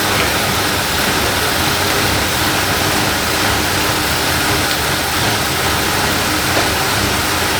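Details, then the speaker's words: 1978 Lincoln Town Car V8 first start in about 25 years with new or cleaned carburetor, running off a gas container: loud, steady idle with even rumble, no knocks or misses; fired right up and runs smoothly. "that was something she fired right up yeah okay great"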